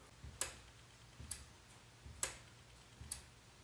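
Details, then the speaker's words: BMW E46 with S62 V8 swap: four crisp clicks about a second apart, each after a soft thump, as the DSC module responds normally to the DSC button after coding; clicking doesn't occur every press. "Now, whenever I tap this button, I can audibly hear the DSSE module clicking out there."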